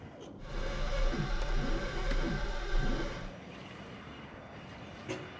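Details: Cessna 401 engine unstarted for over 15 years, fuel system cleaned and injectors reinstalled, battery hooked up: the starter drags it over sluggishly, about four uneven turns a second for three seconds. It never catches, cranking too slowly.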